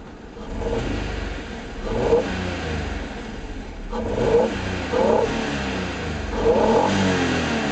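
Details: 1991 Acura NSX, 270 hp VTEC DOHC mid-engine V6, 5-speed manual, about 129,900 miles, timing belt and water pump done near 115,000 miles: engine starts and is blipped several times, revs rising and falling cleanly, no knocks or rattles; healthy.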